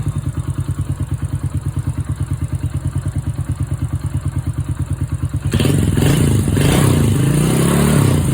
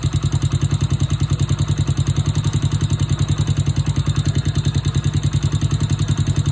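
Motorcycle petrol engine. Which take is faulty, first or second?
second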